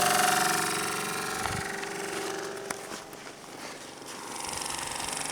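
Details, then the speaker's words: Saab heater blower motor in freezing winter weather: whirring fan tone with scraping ticks that fades as it slows; wheel catching on ice packed around the rim in the housing; blower obstructed by ice. "So I'm pretty sure this blower motor is jammed up from ice, is my guess."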